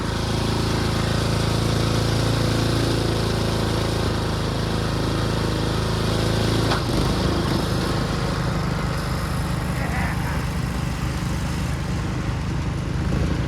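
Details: Ariens two-stage snow thrower model 11528, throwing snow in a snowstorm at raised RPM; single-cylinder runs hard and steady, tone shifting as the auger bites; pulls strongly, throws snow very well; normal running under load.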